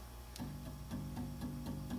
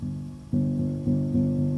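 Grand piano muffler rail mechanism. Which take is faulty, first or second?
first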